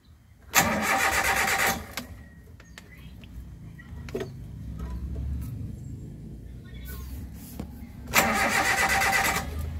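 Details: Suzuki APV that wouldn't start after the park lights were switched off, no check-engine light; two short one-second cranks, engine never fires; relay supply on the blue wire cuts out while cranking, fix is moving it to a green-wire supply.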